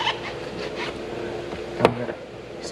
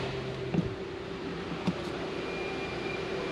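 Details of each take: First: 2023 Genesis G90 door opening: two sharp clicks with a short clunk about a second apart, from the faulty motorized door checker (easy-access auto-closing door motor), replaced. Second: 2023 Genesis G90 door unlatches and swings open smoothly with low motor hum and no knocking, after addressing a clicking noise from the motorized door checker; normal door opening.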